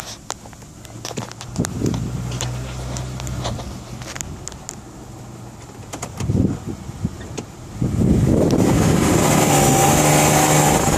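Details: Isuzu Rodeo SUV idling with a thin, steady whine over the low engine hum, louder in the middle; cause unknown, owner asking for help.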